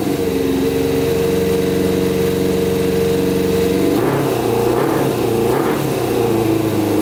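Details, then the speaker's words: Custom Yamaha Banshee with Suzuki Katana 600cc engine, before Stage 4 rejet, pod filters on: uneven idle, choppy hesitant blips not revving cleanly; pod filters cause poor running. "so see how bogs out that's from running too rich so my hands over the carburetor and uh it's not getting enough air"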